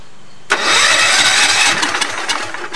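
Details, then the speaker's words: Allis-Chalmers tractor after engine swap, engine previously seized and freed, throttle acting as choke: hard, rough cranking for about two and a half seconds without catching; cranks but no start, carburetor suspected. "promising very promising it's trying it's trying really hard"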